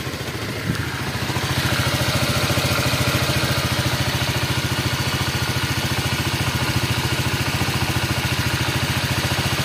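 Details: Honda Vario 125 after leaking radiator repair: steady even putter about three and a half beats a second, smooth idle, no smoke, coolant level holding.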